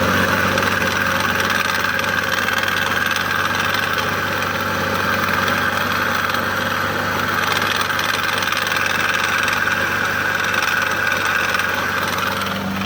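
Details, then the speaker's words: 2006 Toyota Avalon 3.5L idling with a busy metallic rattle and thin bearing-like hiss in the serpentine belt system. Noise pinpointed to the water pump, which was then replaced. "Okay, that noise appears to be coming from the water pump. So I'll be replacing the water pump on this 3.5 Toyota engine in a 2006 Toyota Avalon."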